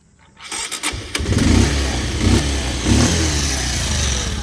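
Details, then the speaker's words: Pulsar 125, 2020 model, 5 years old and owner-maintained, starting: the starter whirs briefly, then it fires and settles to a steady, even idle with no knocks or rattles. Engine sound is unchanged since new; normal start. "ఇప్పటికైతే change అయితే అస్సలు sound change కాలేదన్నమాట bike ఇంజన్లో."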